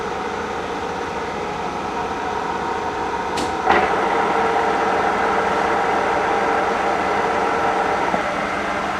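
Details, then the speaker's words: Restored K&T milling machine spindle running at 98 rpm: steady, even whir with smooth gear mesh and no knocks or rattles. Running good. "so you can see that the columns and the machine itself is actually running it's running good it sounds nice and I think we're good we got a good mill on our hands here"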